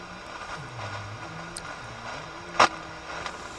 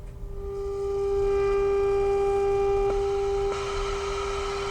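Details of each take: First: Motorola BT16BN vacuum tube AM/FM radio tuned to 98 MHz FM; only faint hiss with no station audio, though the 10.7 MHz IF passes; no FM reception. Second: Motorola BT16BN vacuum tube AM/FM radio after repair: clean, steady pure tone without crackle or drift; set receives the test signal properly.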